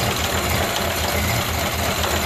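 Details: Ford Model A four-cylinder idling slow and slightly lumpy, starting to chug after the gas is cut at an in-series switch as it drains the carburettor bowl. Fuel starvation, running out until it dies.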